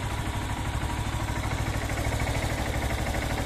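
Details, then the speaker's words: Honda CB190R single-cylinder motorcycle idling evenly and steadily after adding Lucas oil stabilizer with 100% synthetic oil; valves and rest of engine sound more stable, earlier noise gone, no clatter or knocking. "se escucha un poquito más estable tanto las válvulas como toda la demás parte del motor"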